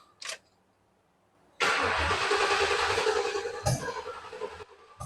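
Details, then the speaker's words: 2000 Ford Crown Victoria ex-police car with verified 45,000 miles starting on second attempt: short cranks, catches and settles into a smooth, even idle; runs smooth, some rattle, exhaust needs fixing, no smoke. "Not like a race car, but it'll work. That thing runs smooth. I mean, it rattles. It don't smoke."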